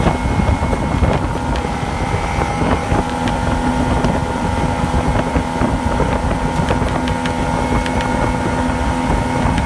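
Outboard runs ragged, with uneven popping and stumbles breaking through the steady drone over wind noise: a two-stroke misfiring and hunting.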